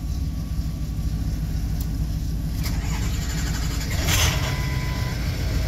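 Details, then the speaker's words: Shop vehicle that had been sitting: uneven labouring crank before catching and settling to a low rumble; starter connection suspected poor, not confirmed; rough cranking. "Sounds like the starter connection there is a little crappy."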